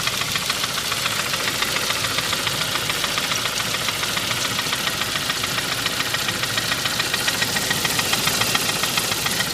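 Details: 2001 Saab 9-5 petrol engine at idle: steady, sharp knocking tick about 3.5 times per second, persisting after main and rod bearing replacement and freeing stuck lifters; owner suspects rod knock, lifters, pulleys or timing; unconfirmed.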